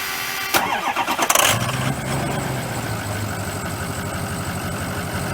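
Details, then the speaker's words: 2004 Ford F350 6.0 diesel, EGR delete, cold start at about 50°F before oil change: brief crank, catches, uneven idle with light irregular knock; not as bad as colder mornings; cause unconfirmed. "It's not as bad this morning. It's pretty warm out. You hear it knocking a little bit now."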